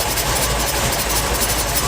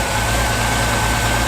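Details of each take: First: Reliant Scimitar Essex V6 pushrod engine, first start after fixing the top-end rattle: steady idle with a faint, light tapping at the front from a tool left against the spinning front pulley. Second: Reliant Scimitar Essex V6 pushrod engine after valve clearance (tappet) adjustment: smooth even idle, steady low hum, no top-end ticking; purrs, tappet rattle gone.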